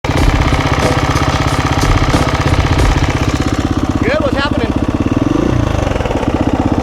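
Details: KTM single-cylinder dirt bike idling with a fast, dry ticking rattle over the exhaust, also very loud at startup: slack timing chain from a failed aftermarket tensioner whose internal pawl was improperly heat treated; clutch weight checked fine.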